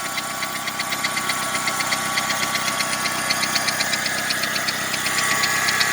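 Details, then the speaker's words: 2002 Saturn 1.9 L engine at idle: crisp, regular ticking about four times a second from the top of the engine; suspected rocker arm, valve spring or worn, loose camshaft, not rod knock; not yet diagnosed. "Suena como algún balancín, algo que es acá arriba de la cabeza, un balancín o un resorte, o tal vez el árbol de leva ya se gastó y está flojo."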